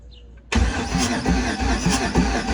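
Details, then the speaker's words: 1988 Trans Am with a 5.3 LM7 LS swap, first start attempt after wiring work. Starter cranks with an even churn, about two turns a second, but nothing fires: no spark. A disconnected ground was then reattached before retrying. "ready i got no spark all right so that was the first one y'all"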